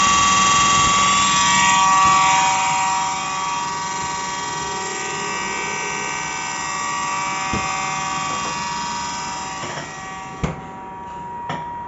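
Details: LG side-by-side refrigerator with a noisy fan: steady whirring hum with high ringing tones and occasional clicks.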